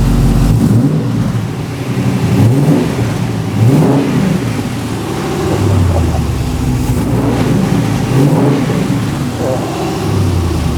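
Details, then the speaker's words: Ultima RS kit car with newly built 6.2 L LS3 V8, first ever start on the first turn of the key, indoors in garage, a bit smoky; crisp rev blips rising and falling cleanly every couple of seconds, no knocks or misses: normal revving. "that success on the first turn of the key now that's what I call a result don't you sound nice"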